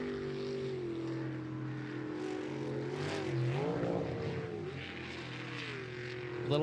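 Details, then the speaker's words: Sprint racing jet boat: engine note suddenly flares higher as if unloaded, wavers, then settles as the jet pump sucks air with the water and cavitates, stern sinking, before the pump runs clean again. "cavitation is they'll suck up air along with the water so you'll hear it kind of rev up the back of the boat kind of sinks a"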